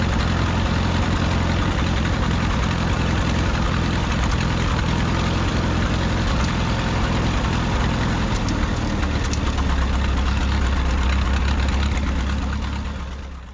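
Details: 1951 Farmall M tractor after new handmade spark plug wires, oil change showing no coolant: low lumpy idle with irregular knock and occasional stumble, then winds down; intermittent knock and misfire, wires didn't help, cause unknown.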